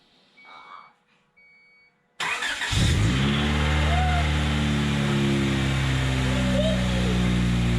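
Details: 3rd gen Honda Prelude first start after crank pulley and alternator replacement, car sat almost two weeks: quiet until the starter bites, quick catch, smooth steady idle with no belt squeal or chirp; normal idle.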